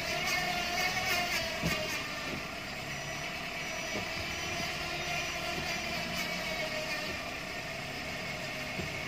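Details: Suzuki APV (G416) automatic transmission: steady mid-pitched hum over vehicle noise, caused by a damaged oil pan and strainer starving the transmission of oil.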